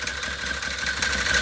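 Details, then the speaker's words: Can-Am Maverick 1000 at idle before teardown: busy rattling chatter over the low run; the noise was later traced to the engine bottom end. "But you can hear it making noise. It's making like a chatter noise."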